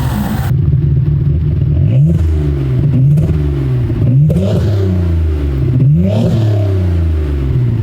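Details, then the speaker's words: Mitsubishi GTO twin turbo (3000GT VR4), which used to race to the limiter on start. After a 3SX fuel pressure regulator was fitted and an intake plenum air leak fixed, it blips up cleanly several times and settles straight back to idle, revving normally. "Like it's running fine. Thank God."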